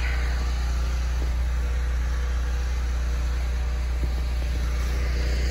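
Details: Off-grid unit whose only job is running the well pump. A constant, deep hum at steady speed with no surging or knocking, carrying its load evenly.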